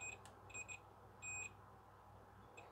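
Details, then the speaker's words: LG FC930W VHS VCR, long shed-stored, cassette won't load; continuity meter beeps in brief bursts across the switch, closing only when pushed fully in; owner suspects loose board leaves the plastic arm not pressing the switch far enough. "okay it's working but it does have to push all the way in"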